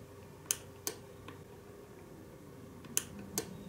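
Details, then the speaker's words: Relay with its cover removed, coil switching a contact between red and blue LEDs: sharp dry clicks each time the coil pulls in or drops out, spaced irregularly in a quiet room; normal relay operation. "And when you activate current going through that coil, the magnetism draws that contact down to the bottom and completes the other side of the circuit, so that lights the blue LED."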